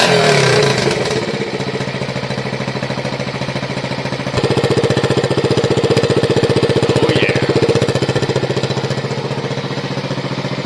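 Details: 1971 Honda SL70 after an 88cc top end kit, carb kit, air filter and tune-up, on a temporary battery: the small single thumps in a quick, even beat, rising briefly with throttle then settling; runs cleanly, no misses or knocks.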